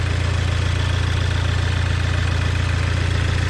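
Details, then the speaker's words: 2004–2007 Audi B7 A4 2.0 turbo, 107K miles, after replacing a failed coil pack with new coils and spark plugs: firm, even idle with no stumble or shake; misfire fixed, runs smooth. "Sounds much better. That's how it's supposed to sound."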